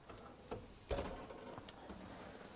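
Faint sharp ticks, roughly one a second and a bit uneven, in a quiet room; the fridge's gas igniter is sparking normally.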